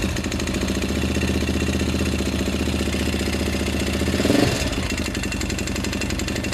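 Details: 2005 Honda 400EX single-cylinder ATV, about 10 hours after a complete rebuild: steady rhythmic knock at idle, briefly blipped; valves checked, timing chain has some slack; owner suspects main bearings damaged by dirt past the K&N filter, unconfirmed.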